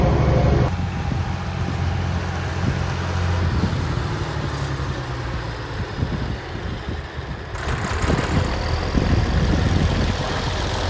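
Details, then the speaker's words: Massey Ferguson 1105 tractor, an abandoned project machine, with an old diesel motor idling after a drive: even, low chugging beat with no misses or knocks and some outdoor handling noise. It runs well. Normal diesel idle. "Oh, that sounds nice. This is a good sounding old motor."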